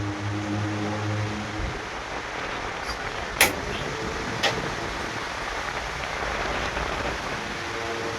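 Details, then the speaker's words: Aica electric fan after repair, on speed 1; before repair it only hummed and would not spin. Now a steady low hum gives way to an even airy whoosh as the fan spins freely, working normally. "So ayan mga katropa. So okay na nga yung ginawa nating electric fan mga katropa."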